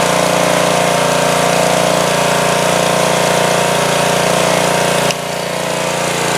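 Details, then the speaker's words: 2002 Coleman Powermate 5500 generator after carburetor cleaning and motor mount repair, air filter still off, choked then set to full run: starts easily and holds a steady, even drone, settling slightly lower near the end. Normal running. "yeah that started very easily I had it on immediately put it to full run and it ran great so that's pretty nice"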